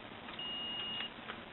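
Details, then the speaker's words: Porter Cable belt sander trigger switch, cleaned out and rivet refitted, checked with multimeter: clear steady high beep about two-thirds of a second showing continuity that was absent before; the switch now conducts. "Now, if you can hear that, that is the sound of continuity,"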